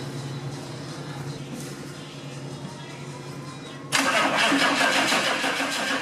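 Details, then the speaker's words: Zombie Suburban diesel with newly installed turbo, first start before boost gauge and oil drain line are fully hooked up: slow cranking after glow plugs, then catches and settles into a loud, steady clatter, turbo spinning; normal start-up. "so anyway you heard me fire it up turbo spinning got a little fine-tuning to do in the next episode so stay tuned thanks for watching"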